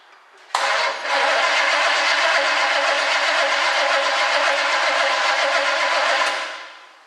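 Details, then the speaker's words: 1967 Chevrolet Camaro barn find, cranked via remote starter button wired under the hood with key on: steady cranking about six seconds, never fires; crank-no-start, no spark seen at all. "I don't see any spark at all."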